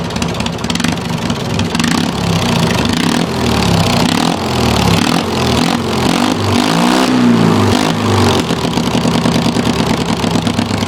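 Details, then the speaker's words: Racing mower with loud open pipes, cold start on choke after sitting a while: rough, uneven running with revs surging and sagging over a loud bark; it needs rejetting, jets to be drilled out. "It's been a while since it ran, so get a little choke while it's cold. I have to rejet it. I have to drill the jets out."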